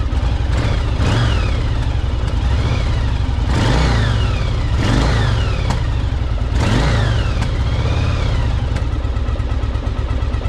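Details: 1984 Yamaha Virago 1000 V-twin after carb flooding fix and refitting cleaned fuel tanks; deep lumpy idle with three crisp throttle blips rising and falling cleanly; runs and revs healthily, though owner notes a little backfire.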